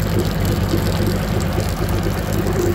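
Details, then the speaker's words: Evinrude G2 200 HP outboard after descaling with Rydlyme and clearing foreign objects that blocked cooling water and triggered code 25 EMM temperature fault. Steady even low drone, no misses, knocks or surging; normal running. "right ladies and gentlemen just got it he's working good that was the problem it's got a little bit and foreign objects stuck in that in that cheese causing the computer not to be any water"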